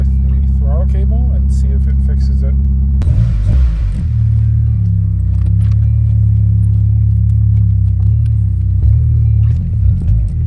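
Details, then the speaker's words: 1999 Mitsubishi Eclipse GS idling in neutral after idle air control valve replacement: steady even low rumble, no surging, around 900 rpm, down from 1100–1200, still slightly higher than normal. "it is idling a little better. We'll see. It is idling a lot better. It's a little high. Higher than normal, I should say."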